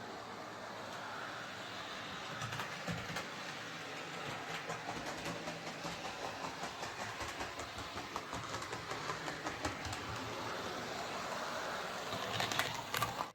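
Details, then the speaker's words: Bachmann Webb Coal Tank model locomotive after repair, on straight track: light steady mechanical whir with faint even ticking, no knocks; still clunks on curves; normal running. "so apart from it making our clunking noise going around the curve so it's running absolutely fine"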